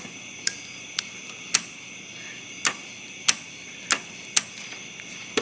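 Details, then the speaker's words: Jeep Cherokee, engine off, vacuum gauge at zero: sharp dry clicks about once a second at uneven gaps from a vacuum-powered actuator still cycling on stored vacuum, normal. "so just to prove that's vacuum power it's clicking whatever it's doing there it doesn't matter but the engine's not running as you can see on our gauge it is pegged out at dead zero so that means there's no vacuum"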